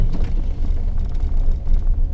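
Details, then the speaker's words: 1974 Valiant, cold engine just after a hard first start in months following freezing weather: low, lumpy, sagging deep rumble nearly dying; vacuum needle weak; rough idle near stall. "oh whoa it's gonna stall oh two ways about it that was a pretty hard start"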